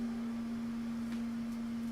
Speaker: and you can hear the humming that humming is from the printer itself we're going to try to give you guys the full experience here okay that humming is kind of annoying it's annoying to me too